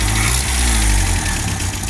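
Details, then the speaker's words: 1978 MG after radiator upgrade, first start: engine idles with a low rumble, firing on at least three cylinders, then revs sag and roughen nearly to stalling, needing a touch of throttle; not overheating. Cause unconfirmed. "Oh, and then she kicks right down and barely wants to run. And then she just needs a little touch, boys."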